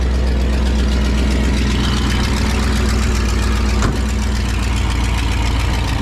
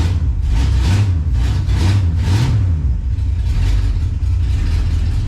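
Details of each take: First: 1967 Pontiac Tempest station wagon on a makeshift fuel tank with an electric pump, carburetor idle just adjusted; loud raw deep rumble and harsh open bark at steady idle because the exhaust is essentially non-existent. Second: 1967 Pontiac Tempest station wagon, first start after pickup, 60 psi oil pressure: deep, even engine note rising and falling cleanly through a few blips, no knocks or misses; normal, healthy revving.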